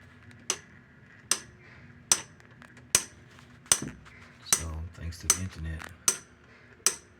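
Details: Whirlpool/Maytag/Kenmore-type top-load washer: sharp metallic clicks about every 0.8 seconds, with a brief low hum midway; shift actuator suspected broken.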